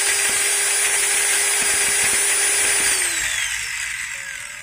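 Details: Maktec MT90 angle grinder just after replacing its pinion gear: high steady whine at full speed with a slight gear rasp, pitch sliding down at switch-off. The new gears are bedding in and expected to smooth with use.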